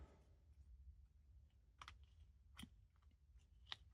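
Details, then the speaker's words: Audi front suspension ball joint with a long-split boot, no grease and rusted out, worked by hand: sharp, gritty crunches and clicks, confirmed as the cause of the front-end clunk over bumps. "So that has been split for a really long time, and it's basically rusted out and it's worn it out basically. So that is 100% the cause of the clunking."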